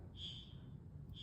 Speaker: Of course, we can't forget about the security system's fire setting. Hear that?